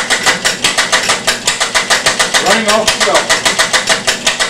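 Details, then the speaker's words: Experimental one-valve engine with ratchet cam drive, very early fuel injection suspected of poor atomization: quick chuffing beats about six a second, uneven with clattering drive; erratic running from mechanical jitter in valve timing. "bad and it's very erratic because the the the jitter in the mechanics but anyway it does tend to run so i will fire it up on the on the motor then i'll flip the belt off of it and it'll run for a few seconds and then quit"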